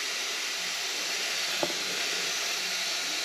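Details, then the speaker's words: Compressed-air pressure test of a printed manifold and test plate: a steady, high, airy hiss with one small click midway. Air is leaking straight through the porous printed material. "looks like it's coming straight out of out of out of the material."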